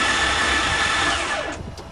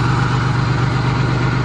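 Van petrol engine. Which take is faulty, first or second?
first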